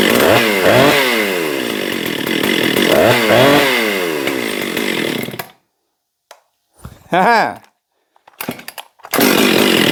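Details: Husqvarna 262XP chainsaw after cylinder cleared of suspected water and a new spark plug fitted: crisp two-stroke revs up and drops back cleanly several times, shuts off and blips again; runs healthy now.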